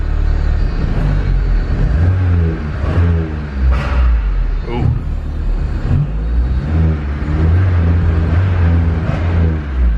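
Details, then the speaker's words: Built turbo K24-swapped Honda Civic EP3 on Hondata KPro with fuel map raised 40: idle now fairly good, but throttle blips rise sluggishly and fall back, engine wanting to die and refusing to rev; tuner unsure if too rich. "still not great definitely still not great um Idol is pretty good though I wonder why it's wanting to die when I give a gas that's kind of odd"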